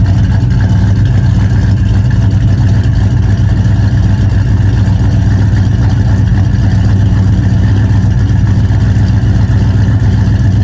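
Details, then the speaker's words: Vortech-supercharged 2V V8 on Holley Terminator X EFI, still untuned, at idle on a 29°F day: a loud, deep idle with an uneven puffing tick of about four per second from an exhaust leak at the driver-side header, which is also skewing the O2 reading lean. "before i start the car it does have an exhaust leak right now so it is it's still untuned it has a gas at a tune that i put into it it runs pretty decently but it does have an exhaust leak in the driver's side header"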